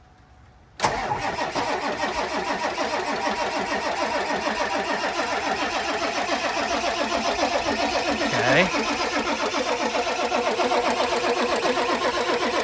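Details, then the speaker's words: 1997 Ford Powerstroke diesel started for the first time in about two years, with white smoke. It catches within a second and settles into a steady, even idle clatter; a knock was later suspected. Normal diesel start and idle. "Oh my god. It's been years. All right. She sounds good."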